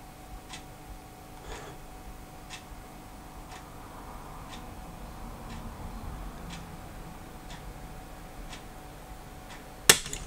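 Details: Voltage-operated earth leakage circuit breaker coil drawing about 45 mA as voltage is ramped up: faint, steady ticks about once a second, then a sharp loud snap as it trips at around 15.5 volts.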